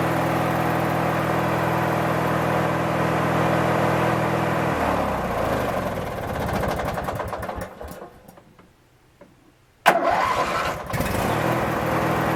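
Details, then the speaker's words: Craftsman 19.5 mower: steady starter cranking with no catch, goes quiet when the key is released, then the engine fires; owner suspects the ignition switch. "the only thing I found to be really odd is that it will start when you let off of the crank otherwise you'd sit there and crank it and crank it and crank it and it won't start second you let off it'll start so it may be something in the ignition switch itself"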